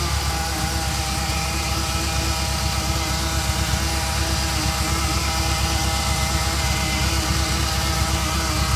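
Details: Ferrari Mondial 3.2 idling cold with a steady droning buzz starting 15 seconds after cold start as oil pressure rises, fading when warm; loudest on stethoscope at the braided oil hoses to the fan, origin unknown.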